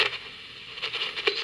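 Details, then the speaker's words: Toshiba radio, capacitors not yet replaced: thin radio sound broken by irregular crackles and scratchy pops; the controls are scratchy and need contact cleaner (DeoxIT), and the dial cord seems stuck. "so again scratchy need some deoxit"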